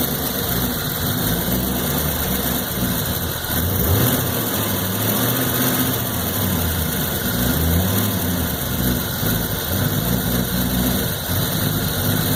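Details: 1993 Corvette LT1, 42,000 miles, idling: a lumpy, uneven idle that rises and sags every second or two; it stutters around town, and the cause is not yet found.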